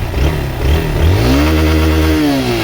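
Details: Honda XRE190 single-cylinder after repair of an odd engine noise that had appeared when the clutch was released: in gear it revs cleanly as the clutch is let out, pitch rising and settling, with no knock or rattle. Normal running.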